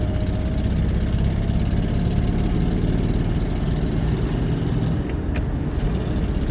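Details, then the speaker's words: 1999 Ford Mustang running rough at a steady low idle with an uneven, lumpy, missing beat; the owner suspects a bad fuel injector but may also check coils, spark plugs and compression; the misfiring cylinder is not yet identified. "turns out to be an injector so be it yeah she's running a little rough"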